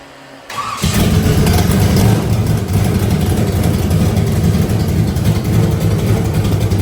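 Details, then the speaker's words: Burnout truck V8 after milled heads, a larger cam and more compression: fires after a brief crank, then settles into a deep, lumpy but steady throaty cam-lope rumble. Normal start and rev. "Definitely sounds a little different. She sounds a little throatier, I'd say. Yeah. Well, it's that compression, man."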